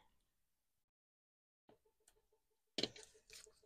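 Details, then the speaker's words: Room radiator cooling back down to its set temperature: quiet room with a run of light, evenly spaced ticks and a few louder clicks; normal radiator ticking while cooling. "Et les claquements qu'on entend, ouais, c'est mon radiateur qui redescend en température. Voilà. Il se remet à la température voulue"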